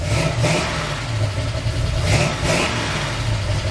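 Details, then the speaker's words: Chevy 350 V8 with solid lifters after a valve adjustment and slight carburettor adjustment: two quick pairs of sharp rev blips rise and fall cleanly from a lumpy idle; more responsive on the throttle, though annoying valve noise remains and more tuning is needed. "more responsive err on the tax [Music] sounds more happy in gear"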